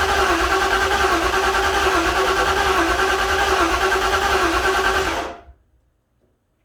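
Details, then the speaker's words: 1956 Ford F-100 with a newly wired ECU, first start attempt, cranking slowly to build oil pressure: even, steady cranking at about three turns a second for five seconds, then stops; starter spins the engine healthily but it doesn't fire. "But that's good, I'm happy, at least the starter's working. I hate to crank on these for a real long time."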